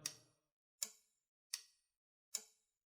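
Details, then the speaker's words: Dyson DC17 beater-bar microswitch, close-up before removal: four crisp, distinct clicks about three quarters of a second apart. The switch is working properly. "When these switches are working right, they usually do have a very distinct click like this one has."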